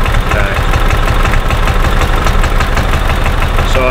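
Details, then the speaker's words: 2000 Club Car DS gas golf cart that runs then shuts off: low-throttle chug with uneven beat and stumbles, backfiring into the carburetor, smelling of unburned fuel; weak spark, failing ignition coil suspected, rev limiter ruled out. Misfire. "It's backfiring into the back to the carburetor. It sounds like, it's almost the same symptom of what it sounds like when an engine is flooded."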